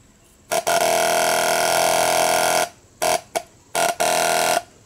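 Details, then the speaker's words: CBR600-engined home-built reverse trike fuel pump wired straight to the battery: loud steady buzzing hum in on-off bursts, so the pump works and the dodgy wiring is at fault. "so the pump works so is the wiring that's bad huh so i put the pump back on the wiring and i don't know if you guys can hear it but it is it is slowly pumping"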